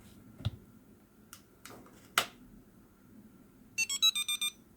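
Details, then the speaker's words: Homemade fixed-wing FPV drone motion controller powered on with joystick held up-left: after handling clicks, about six quick short high beeps, the distinct Wi-Fi mode boot tone, LED flashing instead of steady. "there's the different boot tone. And then yeah, you'll see that the LED is now flashing."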